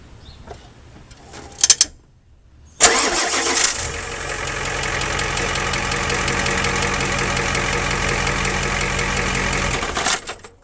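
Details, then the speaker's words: 1990 Ford F250 7.3 IDI non-turbo diesel idling in neutral, mic under the truck: a steady idle with a loose metallic rattle from a dual mass flywheel with broken springs, quieter with the clutch pushed in; the clutch and flywheel are being replaced. "some of the springs are broken inside so we'll put the camera underneath here start it up one last time so you can hear how what kind of noises it makes"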